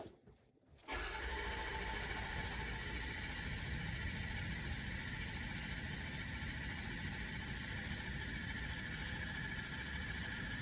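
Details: Ford 6.0 Powerstroke diesel after fixing a high-pressure oil leak that caused a crank no-start with low ICP pressure: after a short silence it fires at once and settles into an even, steady idle with no misses.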